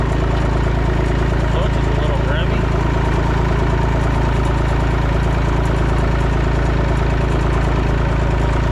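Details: Massey Ferguson 245 three-cylinder diesel tractor (Perkins tag), revived after 12+ years, burnt/melted radiator, driven to barn; steady low even chug, no knocks or misses, running smoothly. Normal diesel running.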